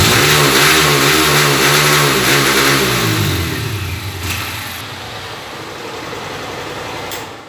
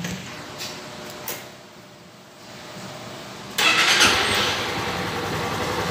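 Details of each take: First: Honda CG Titan 160 single-cylinder motorcycle revved: climbs, stalls at a flat ceiling, drops to idle, no top-end acceleration; misfire and loss of top-end power traced to the TPS throttle sensor. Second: Honda CG Titan 160 after restoring the TPS sensor for misfiring and not revving, no fault code: after a quiet pause it fires up cleanly and settles into a steady idle.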